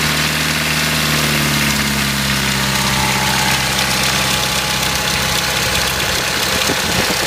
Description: Can anyone tell me if they think this is the timing chain rattling? Its a 1993 Mitsubishi Pajero 2.8 auto.